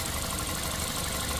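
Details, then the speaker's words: Toyota Altis, engine previously shaking because injectors squirted solid streams instead of mist; after replacing the injectors: steady even idle, no dips, stumbles or shaking; engine now runs smoothly. "อ่าตอนนี้พอเปลี่ยนหัวขีดใหม่แล้วเครื่องมันเดินเรียบแล้วนะครับก็โอเคแล้วนะครับ"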